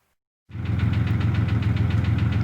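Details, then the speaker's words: 2002 Jeep Grand Cherokee Laredo project truck started after battery charged and reinstalled: runs a little smoky with a fast, even light click-click-click over the idle; source of the ticking not yet found. "as you can tell it's running a little smoky there and hear that click click click click click i gotta fix that gotta figure that out"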